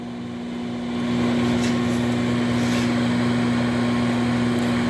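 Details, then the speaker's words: Whirlpool microwave after repair for not heating, running a 2-minute test: steady low hum rises and holds even with no rattles or buzzing; it heats normally. "you hear it it's humming it's purring just like a"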